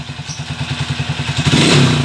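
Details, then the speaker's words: Motorcycle TMX 155 single-cylinder after timing gear replacement and rebore: thumps evenly at about eight beats a second, then revs cleanly, the earlier noise gone. "Pero ito goods na goods na wala na ung maingay kanina"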